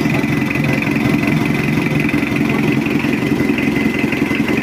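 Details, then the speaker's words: Mitsubishi L200 Triton diesel after engine overhaul, first start with injection timing possibly a bit advanced: steady, settled idle with faint high whistle, engine calm, oil pressure up to the head and normal. "oke udah hidup untuk mesinnya Alhamdulillah nggak ada kendala udah beres dan suaranya Udah adem goyang mesin pun juga tenang olinya udah naik"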